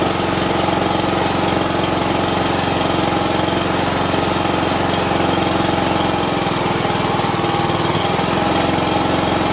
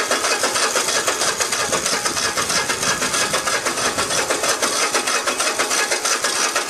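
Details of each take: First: Cub Cadet i1050 zero turn, left outside for years, after carburetor cleaning, on auxiliary fuel with choke on: steady, even chugging of about 2.5 beats a second with no misses; runs, with white smoke, awaiting replacement push rods. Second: Cub Cadet i1050 zero-turn mower left outside for years: starter spins it over evenly about three times a second with no firing; fuel reaches the pump but carburetor jet clogged with stale-fuel residue.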